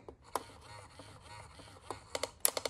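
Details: Restored Bubba Fish animatronic with LML mouth mechanism: a soft mechanical whir, then five or six sharp plastic clicks. The mouth still clicks after the fix, though less than before.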